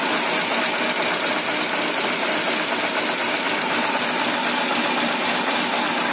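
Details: Peugeot 206 1.1 petrol, 500,000 km, cold stalling and power loss after coil replacement, owner suspected catalyst and smells fuel: ragged, stumbling cold idle over hiss; MAP (intake pressure) sensor blamed and to be replaced, though owner unsure.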